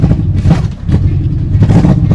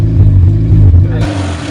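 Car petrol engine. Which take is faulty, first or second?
first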